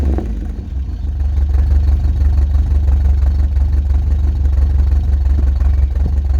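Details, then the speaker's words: Old Subaru wagon (daily driver) with a fiberglass-packed X-Force straight-through muffler, before replacement: deep, loud droning rumble with a booming low note, heard from inside the car. The straight-through muffler makes the exhaust loud. "And so I'll give you a demo what it sounds like at the moment, and take it on the freeway up to 100 kilometers an hour, get it sort of 3,000 to 4,000 revs under full load, and you'll, on the inside of the car, you'll know what I mean and why I'm changing it."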